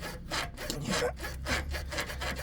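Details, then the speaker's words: Land Rover Discovery 3 (LR3) front upper suspension arm worked back and forth gives dry, rasping creaks; creaking heard while driving at low speed, not at higher speed; worn upper arm joint suspected, arms being replaced. "I keep getting any creaking noises when I'm driving so um and you can hear it low speed but you can't hear it when it's going when you're going faster"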